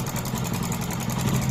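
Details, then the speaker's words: Hero Glamour 125cc engine at idle: fast light rattling tick over the low thump, from a noisy timing chain, before opening the timing chain for repair. "इसमें जो problem है engine से sound है इसमें जो timing chain का problem है timing sound मार रहा है"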